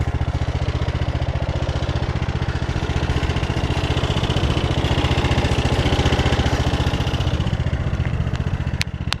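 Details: Mower with about 23 hours, under a year old, still running rough after dealer warranty work; deep, uneven chugging and clatter at low idle that worsens the longer it runs, sounds fine at high idle.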